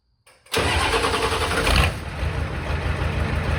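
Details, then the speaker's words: 1986 Ford F-150 XLT, first start after swapping in a 7.3L IDI diesel from a box truck, on a temporary straight-pipe exhaust: the diesel lights off at once and settles into a steady, even idle clatter with no misses. "all right and just like that she is alive now granted this was the first movement it's done"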